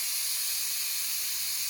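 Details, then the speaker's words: Instant Pot cooking brown rice, a little over 1 minute after releasing the pressure valve: steady, even high hiss of steam escaping the valve, no sputter or spitting, still hissing a little while waiting for the valve to drop; normal pressure release. "We're just waiting for the valve to drop. It's still hissing a little bit. And it's been a little over 1 minute since we released that valve."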